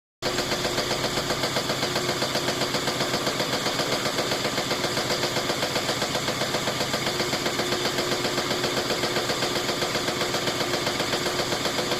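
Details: GE washer after a clutch shifter replacement: hard, loud, steady bang nearly four times a second through the spin cycle, something striking each revolution; cause unknown.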